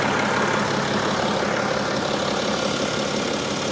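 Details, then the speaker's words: BMW xDrive35d diesel SUV, fully warmed up, no fresh oil leaks: smooth, even idle with a soft steady clatter and no misses, knocks or hunting, a healthy engine. "wow she purrs like a kitten super smooth"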